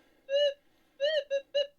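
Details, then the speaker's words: Metal detector swung over a mineralized basalt patch with a small buried gold nugget: short, uneven warbling beeps on one mid tone, no clean repeatable signal; chatter from basalt ground noise. "See, that's that basalt."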